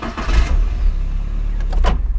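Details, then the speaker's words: Normal starter motor cranking on a car, a blender-like whirr with low rumble for a couple of seconds before the engine catches on its own, used as an audible test to identify the starter wire. "La marcha es la que arranca el carro. Vamos a decir que se escucha como si fuera una licuadora. Es el primer sonido que hace el motor antes de arrancar el carro."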